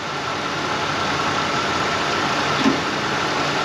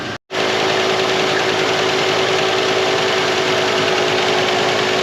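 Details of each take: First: 1990 Ford LTD Crown Victoria restarted after sitting 8 years, fuel drained: steady, even idle with a faint constant alternator whine as it charges the battery, no knocks or misses; normal idle. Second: 1990 Ford LTD Crown Victoria first start after 8 years sitting in a field: steady even idle with faint patter underneath, running a little rough, probably stale gas left in tank.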